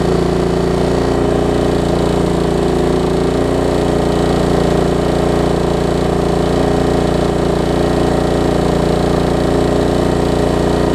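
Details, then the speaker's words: Craftsman LT1750 Kohler mower, first run with air filter off and a leaking fuel line: small single holds steady uneven chuffing idle about three beats a second, won't throttle up; poor throttle response. "that's just a fuel line I'm not really concerned about that didn't want to throttle up also don't have the air filter on us that probably has something to do with"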